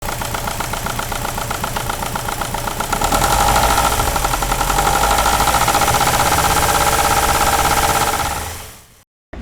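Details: Subaru EJ20 Bugeye WRX boxer idling with a steady knock about four times a second. Another shop called it rod knock, but the actual cause is a slapping timing belt from a failed tensioner.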